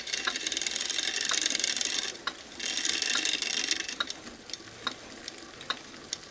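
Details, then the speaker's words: Neglected older Trek 6500 mountain bike: spray-lube hiss, then freehub ticking about three clicks a second. Gunked old lubrication made the freehub sticky and the chain slack when pedalled backwards; it is starting to loosen after the first One Step application. "I can hear that free Hub starting to loosen up from that first squirter One Step you know that you can see the bike doesn't like being peddled backwards you get a lot of slack in that chain that's all because the lubrication inside that freehub is gunked up over the years"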